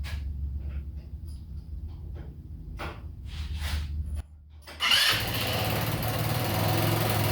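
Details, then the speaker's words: Kandi 2-seater go kart with a swapped-in small engine, started after battery charging, modified muffler refitted in place of an open header: it catches and settles into a steady, soft, muffled idle, running decently. "so yeah it sounds much quieter um it seems like it's running decent"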